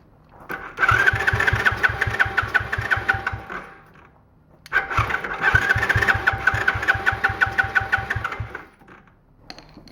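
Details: Small free ATV, plug wire refitted, ether sprayed into the intake: two bursts of quick, even cranking, about three turns a second, never catching.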